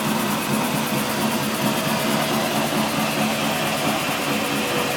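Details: Steady even drone from rear driveline while wheels roll, no knock; tail shaft replaced, diff newly reconditioned, noise occurs with either wheel turning; owner suspects diff pinion or carrier bearing; driveline drone.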